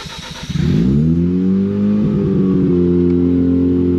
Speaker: hear it's idling high when it gets back to the lower idle it it tends to die just like just like that